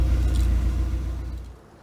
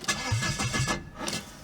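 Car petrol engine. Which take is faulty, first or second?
second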